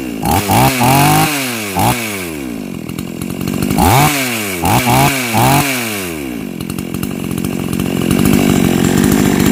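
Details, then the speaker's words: Chainsaw that kept stalling, after swapping in an older spare ignition coil: sharp, clean revs that climb quickly and fall back, then a steady, strong run; good spark, running normally. "สุดยอดเลยครับแรงมากนะครับแดงแรงไฟดีครับ"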